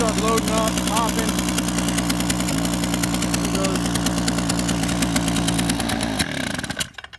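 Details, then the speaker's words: Echo PB-265LN backpack blower with spark tester attached after sitting: runs smooth at first, then stumbles and breaks up as the spark weakens, popping before dying; failing ignition coil causing misfire. "you saw it was running fine running smooth and then when I started running rough this spark here you can watch it just drop and drop and drop and drop in until it was just popping a"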